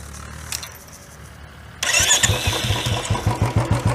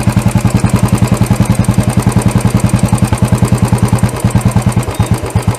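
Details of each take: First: Royal Enfield BS6 single-cylinder after carburettor idle setting, target about 1000 rpm: short crank, instant catch, then an even thump settling into a steady idle. Starts easily without any other updates and idles cleanly. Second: Royal Enfield BS6 single-cylinder carburettor idle tuning, mixture screw adjusted: slow thump around three a second that turns weaker and uneven. Only a small amount of fuel mixture is passing, so it is running lean.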